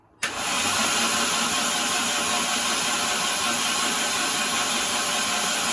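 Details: C20XE engine in a Mini, cranking after fresh engine and gearbox oil: the starter spins steadily and evenly with no knocks, with ignition present and about 80 psi oil pressure building. Healthy cranking.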